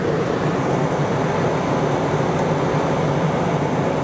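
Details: RV rooftop air conditioner switched on when bringing the RV out of storage: steady, even blower roar with a low compressor hum and no rattles or squeals, soon blowing cold. Running properly.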